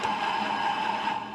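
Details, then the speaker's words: Honda Vario 110 carburettor (2012–2013) scooter with rough-running engine, removed pulley (bandul) bearing spun by hand: rough, gritty whirr fading as it coasts down. Worn pulley bearing needing replacement. "Ini suara laker bandul seperti itu suaranya Vario 110 karbu ya karbu terakhir 2013 2012 kemruwek kemrusuk ya"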